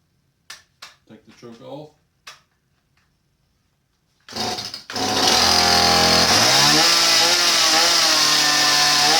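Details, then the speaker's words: Stihl 017 chainsaw that bogs down, EPA carburetor, started after four pulls without air filter: fires and holds steady high scream, never dropping to low idle; idle speed set too high. "it's really high turn the high idle down"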